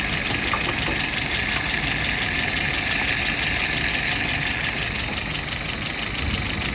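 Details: WO 539S after repairs to the sticking throttle shaft and a rethreaded screw, just started and adjusted: steady, even idle with a lot of hiss on top, no stumbles or surging; normal idle.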